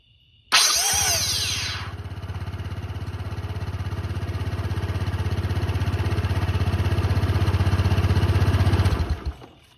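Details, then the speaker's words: Honda SH150i scooter at about 8,700 miles, after cleaning the starter. A sharp, rising starter whine, louder than before, then steady cranking. It spins fine; the owner thinks the whine is the starter itself, cause unconfirmed. "That's really loud. That's louder than before, huh? Louder, more whiny."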